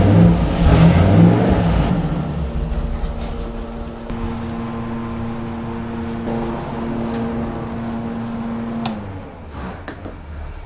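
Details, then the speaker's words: 1971 Plymouth 'Cuda 340 V8 with Thermoquad carburetor on a dyno: revs up, then holds a steady high hum for several seconds instead of dropping back to idle; throttle hanging, carburetor problem. "Okay, there's a problem here now. Shut the water pump, Nico. I couldn't bring it back to idle."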